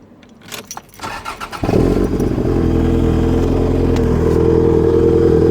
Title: Misfire possible fueling issue?